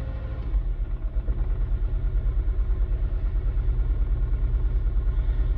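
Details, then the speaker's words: 2007 Mini One 1.4 petrol, 6-speed, at idle: uneven lumpy beat about three pulses a second with irregular dips; owner says it has a misfire somewhere, could be an easy fix or not. "Like I said, it's got a misfire somewhere. It could be an easy fix, then again it might not be, who knows."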